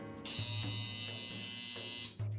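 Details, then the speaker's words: Modified Andis Outliner trimmer after armature adjustment: harsh, loud high-pitched buzz with a rattling edge at switch-on, still too close; needs loosening and moving out. Armature gap set too close. "That's too close, okay? But now you can adjust this tighter. Turn it on. That's still too close."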